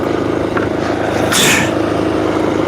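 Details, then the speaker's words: Finished scooter with its small single engine holding a fast, busy idle that doesn't settle. The rear tire keeps spinning while the scooter is off its stand, so the idle speed is set too high and needs adjusting. "I freaking need to adjust the idle. It's too high. I almost just dropped it cuz the uh rear tire is still spinning and it's not on the regular what's it called?"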